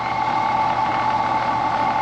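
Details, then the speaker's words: Brand-new Carrier AC outdoor unit, contactor engaged (45/5 capacitor): only a steady condenser fan rush and faint hum, with no compressor drone; the compressor is not starting. "No compressor though. Y'all don't hear that compressor, do you?"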